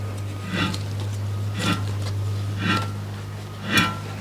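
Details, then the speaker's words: 1994 Toyota Corolla station wagon DX 7A-FE, removed old front wheel bearing turned by hand: gritty grating rasp pulsing about once a second; grease gone, rough and stiff instead of smooth, quiet and free, so being replaced. "it should be very smooth a very quiet it shouldn't spend freely but this one is fun all of its greased out so that's why it's rough and stiff like that"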